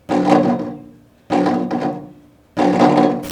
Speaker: And before we move on, I will also show you guys a clip of a scooter with loose compression, just so you guys can get an idea of what a scooter with loose compression sounds like.